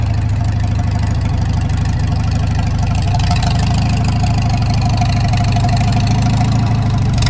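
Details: Farmall Super M tractor engine, before the rebuild: rough, low idle with a fast, fairly steady deep knock riding on every few firings; knock from inside the engine, cause not yet found.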